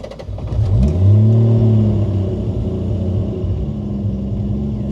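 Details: 1989 Toyota Supra, original stock-block 2JZ-GTE with HKS 264 cam, BorgWarner S362sxe turbo, 67% ethanol, just over 100,000 miles: quick crank, clean catch with brief rev flare, then smooth even idle; healthy.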